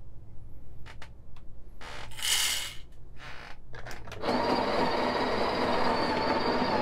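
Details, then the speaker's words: Grinder for a 54mm Breville espresso machine, grind setting 6, old and much-used but still working: handling taps, then a steady high whir that sounds slightly strained as beans load it; grinder motor labouring under load, cause unconfirmed. "you guys hear that little struggle okay this machine has been through a lot over the years so but still works"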